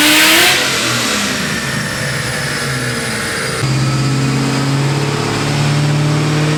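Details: Built, cammed supercharged 2003 Ford Mustang Cobra (~700 hp, Borla ATAK exhaust, 93 pump fuel) driving in cold rain after a retune that raised boost to 22 psi; strong, even V8 note stepping up smoothly with throttle, no stumble; normal running.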